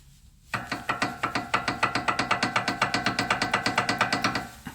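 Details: Toyota with a knocking, clunking noise over bumps: sharp regular knocks, about three a second, as the bar is rocked by hand in a quiet space; worn, torn sway bar end link joint, needs replacing.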